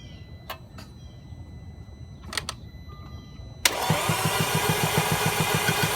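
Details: 2010 Audi A4 that ran perfectly the day before, morning start attempt. Steady starter cranking at about three and a half beats a second that never fires. Cranks but won't start.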